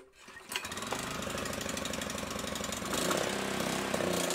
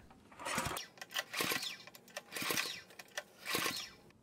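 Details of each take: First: Honda GX200 clone just after a new ignition coil fixed its no-spark problem: it catches and chugs, then idle speed and loudness surge unevenly with the choke closed. Likely a partly clogged carburettor; carburettor cleaning planned. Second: Compression test on a Honda GX200 clone that won't start for lack of spark, with a gauge in the spark plug hole: four even recoil pulls against firm compression, no hiss. About 40 PSI, normal for this engine.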